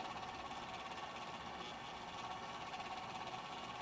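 Quiet, constant gritty whirr with a rasping edge over a steady mid-pitched tone, no speed change; the fan bearing sounds rough.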